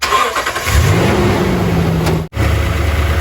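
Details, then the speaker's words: 2018 Toyota Tundra during a power steering fluid flush, with the engine started to cycle fresh fluid after half a gallon was exchanged. The engine settles into a smooth idle with no pump whine or groan; the steering pump is quiet. "That's right, no pump noise. That's my favorite part about doing the job this way."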